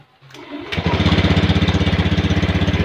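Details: Honda Scoopy (ACG starter) scooter after cleaning the rusted side-stand switch that caused weak starting: brief crank, catches within a second, settles into even idle at about four pulses a second; healthy start.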